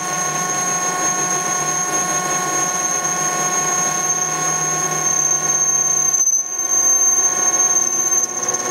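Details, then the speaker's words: Denford ORAC CNC lathe turning a 20 mm radius end on a 40 mm 6082-T6 aluminium bar. Layered steady whines with a slight grumble drop out briefly, then resume: normal stepper motor growl during the radius cut. "you can see the ball shape appearing there's no cutting the radius you'll hear the step is growling a"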